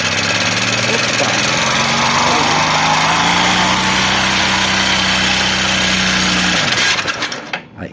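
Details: Honda Bros 150 single-cylinder, noise began after clutch disc replacement: harsh metallic clatter about four per second until shutdown; oil not reaching rockers and camshaft, engine seized at last start.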